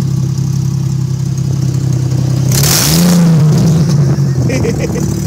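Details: 2002 Chevrolet Trailblazer in fall, exhaust blown off the side of the motor: loud, raw, deep roar swelling sharply with revs, open exhaust leak at the manifold; can cause the engine to stall.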